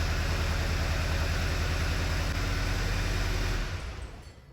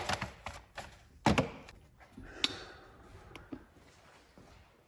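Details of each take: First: 2009 VW Eos 2.0T, 144,000 miles, flashing check engine light: rough, lumpy idle with uneven low thump about three times a second, cylinder 3 misfire counter climbing, proven to be a faulty ignition coil. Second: 2009 VW Eos 2.0T, towed in with flashing check engine light and misfire, after ignition coils were reseated and faulty coil dealt with: after clicks the engine catches at once and settles into an even, steady run with no stumble, normal start.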